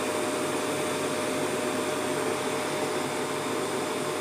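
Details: Prestige induction cooktop, previously dead with no lights, after repair, running at full power: steady fan whoosh with a faint constant hum and no rattles, clicks or surging, operating normally at full power.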